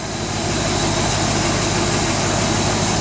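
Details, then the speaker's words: 1995 BMW E38 740i M60B40 V8 idling after timing chain tensioner and camshaft position sensor replacement: steady, even hum with no knocks, ticks or rattles; normal idle, running a little rich. "cars running Prague and I so he's running a little rich but that's okay"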